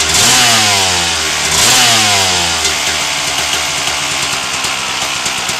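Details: 1997 RM250 two-stroke started right after its dented header pipe was pulled, repaired and painted, choke on: crisp ringing note blips up and falls back cleanly on the throttle, no misfire or rattle; engine runs healthy.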